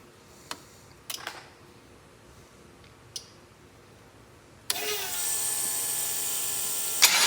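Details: Prepped 6LDBW engine, new crossover tube O-rings, open exhaust without headers, running open loop: quiet, then catches straight away into a loud, raspy, steady idle, no stumble; oil pressure about 36 rising to 50.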